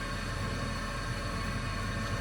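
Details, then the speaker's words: Delta Rockwell 28-350 20-inch wood bandsaw converted for metal with 10:1 worm gear and VFD, run at low speed on first test: steady rough grinding rush with faint whine, motor sounds grindy. "Okay, it's spinning. Sounds a little grindy. I guess that's the motor."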